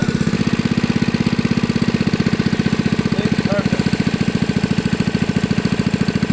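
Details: 1980s Kawasaki mini bike, Kawasaki FA130 single with brand new 22mm Mikuni carburetor and fuel system: thumps along at a fast, even beat with no stumbles or misses; the little engine runs healthy and steady.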